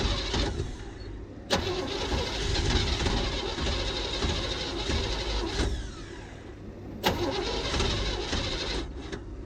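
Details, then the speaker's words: 1972 Chevrolet C10 shop truck on starting fluid, timing set roughly and being adjusted: repeated cranking with brief catches that die away; it pops over briefly but won't run without fuel delivery. "but we do know it popped over just briefly um so that's a good sign like I said it could be my timing's off would not Shock me"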